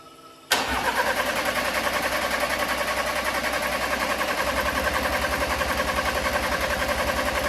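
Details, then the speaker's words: Crash-damaged Audi A4 TFSI 35 with a replacement engine, coil packs disconnected, cranking to build oil pressure: starter clicks in, then steady even churn of three to four beats a second, no firing; no grounds or sensors seem missed. "But yeah, really happy it's cranking. So to me, that sounds like I've not missed any grounds or sensors off."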